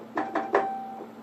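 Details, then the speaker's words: Wurlitzer 200A electric piano, reed 49 tested during repair: soft key clunks, then a clean, steady mid-pitched note that rings and fades evenly; reed 49 fine, the broken one is 59. "As you can hear, 49 is just fine."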